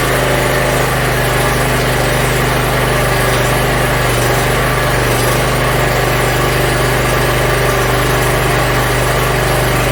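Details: Yard Machines MTD 42-inch riding mower after new starter, cleaned carburetor and freed stuck emergency shut-off: small single-cylinder engine holds a steady, even idle with no stumbling or hunting; runs clean.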